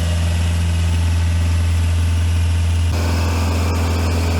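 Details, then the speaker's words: Small diesel on an auction Sky Trak telehandler listed as inoperable, running just after a cold start; steady even low rumble, no knocks or misses; runs excellent, belts may need dressing or tightening. "sounds like it runs about perfect to me it might could use a little bit of belt dressing or couple of the belts tightened up or something but that's about par for the course around here"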